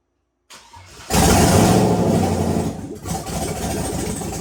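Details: Turbo Chevrolet Silverado V8 tuned on E85, first start after rebuild with new gapped piston rings (after #7 ring land failure) and ARP rod bolts: short crank, quick catch with strong flare, then steady even idle, no knocking; runs healthy.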